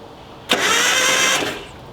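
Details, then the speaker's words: 1986 Nissan 720 ST pickup, sitting over 10 years, plugs pulled with Marvel oil added, starter thought stuck and towed in fifth gear: about a second of loud, rough, uneven grinding crank with no firing; harsh cranking. "this starter I think was stuck I towed it in uh fifth gear"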